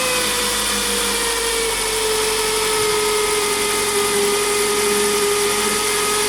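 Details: Toyota Estima ACR30 near 200,000 km: a steady high-pitched whine sagging in pitch over the engine hum, attributed to a worn water pump bearing. The pump makes little noise when turned by hand but is loud once the belt is on.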